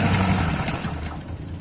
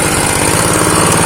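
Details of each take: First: Honda GX160 engine driving a water pump, after freeing a seized engine and restoring compression, pump primed with water: fires up and holds a steady, even beat under pump load with no knocks or misses; strong suction. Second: Honda GX160 engine, long unused with compression loss, choke closed: low, uneven loping idle nearly stalling; idle set too low, fixed by turning the front throttle stop screw clockwise to raise idle.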